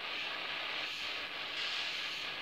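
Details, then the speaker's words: Bicycle inner tube held close to microphone: steady sharp rhythmless hiss of air escaping from the puncture. "le bruit là vous entendez c'est la fuite"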